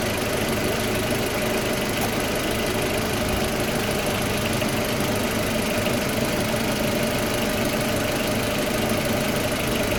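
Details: Audi A4 B6 1.8T petrol, after replacing ignition coils (one found faulty) that caused misfire and jerking under acceleration: started faster than ever, steady even idle with smooth hum, no stumble or uneven beat; normal idle.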